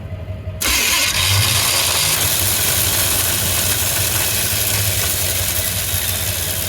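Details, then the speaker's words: 1985 Chevy C20 pickup, abandoned in storage 20 years, cranking with temporary battery hookups and spark confirmed: a click, then a sluggish, labouring churn with no catch. Slow cranking from a worn starter; the flywheel is good. "that's just a bad starter. Okay, it's good. Flywheel's good. The starter sucks."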